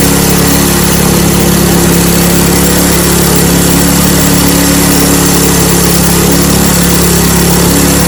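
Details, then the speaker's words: Snowblower single-cylinder engine after carburetor disassembly and fuel line troubleshooting (had not been starting). Steady, even, fast buzz with no misses or surging. Running normally. "So there we have it. A little bit of troubleshooting on the fuel line, and then got this thing back up and running."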